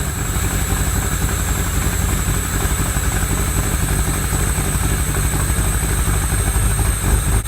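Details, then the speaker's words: Replica exotic kit car on a 1986 Fiero GT chassis, after oil sludge cleanout: steady low idle with a slightly uneven, loping beat about four pulses a second; owner suspects a misfire and plans new spark plug wires, maybe plugs. "And then it looked like we might be dealing with a little bit of a misfire, so we're going to go ahead and replace all of the spark plug wires, or the ignition cables as some people call it."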